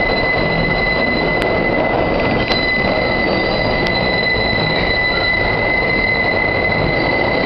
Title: The Excrutiating Noise when the 5 squeals through South Ferry.